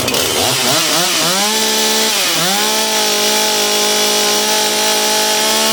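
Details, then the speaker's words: Dolmar PS-510 chainsaw after ignition coil replacement for no spark, started with a squirt of fuel; catches after a couple of rough rises, then holds a clean, steady high-revving buzz: runs properly. "Alright, she fired up. She just needed a little assistance at first. Sounds good though."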